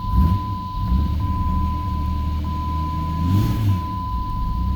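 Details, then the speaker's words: 2003 Jeep Grand Cherokee Laredo 4.0, about 106,000 miles: low engine drone held up on the throttle with a steady tone over it, but it stalls as soon as the foot comes off the gas; the idle air control valve is likely frozen shut. "see that's a that's a just a a great indication that the IAC is frozen probably in the shut position and uh it's not going to let the car run"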